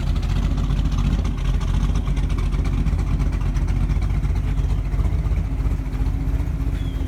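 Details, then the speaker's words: 1948 Mercury coupe V8, warming with oil pressure 60 psi: steady, even idle with a deep smooth burble and no knocks or misses. Normal idle. "I've got it booked into a tune and test guy that I know very well, but Again, it's got a good sound to it. Again, not overbearing."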